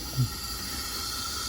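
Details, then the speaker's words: Volvo FH460 D13 truck engine, 30 km after an overhaul at another shop, leak-down test through a dummy injector: a faint steady hiss of air passing the piston rings, no rush from the valves; normal ring leakage. "Немножечко шипит вниз, слышно через кольца. Ну, это нормально."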